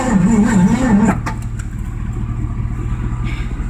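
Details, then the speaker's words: 1984 Mazda RX-7 swapped with a Ford V8 (302/351 Windsor, C4, HEI distributor): slow wavering cranking, fires only occasionally after switching to 351 Windsor firing order; janky spark plug wires suspected. "We got the engine on the correct firing order now, as every once in a while it'll hit."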